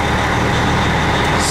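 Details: Diesel truck just reassembled after water pump replacement, cold start with oil pressure about 45, idle being raised toward 800 rpm. Steady, even low rumble with no hunting or knocks; running fine.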